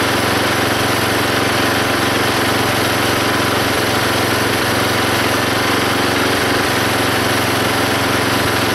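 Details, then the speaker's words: Belt-driven log splitter small engine after fitting a homemade spring-tensioned idler arm and pulley to stop the belt flying off: steady even note while splitting a log, no slip squeal; hardly any belt or pulley slipping. "now when it runs you can definitely hear the engine take the pressure of splitting that log and there's hardly any slipping on the pulley or on the Belt"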